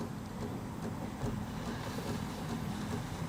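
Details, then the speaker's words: Breville espresso machine steam wand purge before milk steaming, wand wrapped in damp rag toward drip tray: low gurgling rumble under rushing hiss, steady few seconds as water is expelled; steam coming through properly. "And then turn your steam wand on and make sure you let it purge all the water out. We want to expel all moisture. So I can hear it rumbling and kicking on."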